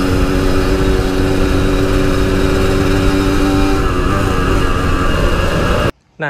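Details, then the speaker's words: Yamaha RX King two-stroke after fixing high-rpm stutter (brebet) that happened only while riding; steady high-revving drone, even pitch, no stutter or misfire; recorded riding in half-face helmet with wind noise; normal high-rpm running. "dia tadi guys permasalahan tersendat-sendat di motor ini yang Alhamdulillah bisa selesai"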